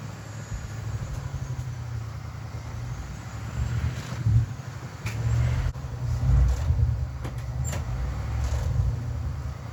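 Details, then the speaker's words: Cold start attempt on 1967 Mercury Park Lane, 410 Ford FE engine, on jumper cables: low sluggish groaning turns, slow and uneven, engine never fires; battery too weak to crank it. "Battery is deader than I thought."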